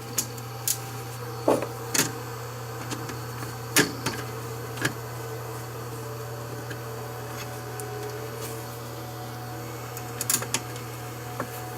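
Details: Fan that had been getting louder for days: steady low hum with an even tone, no grinding or rattle, a few handling clicks over it; fan motor now runs smoothly.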